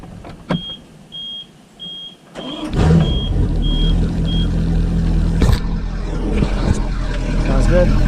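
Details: Volvo Penta marine engine started after spring commissioning with new water pump, impeller, belts, fuel and oil filters and alarm sensors, with water running; a few alarm beeps, then an even, smooth run with no knocks. Normal running.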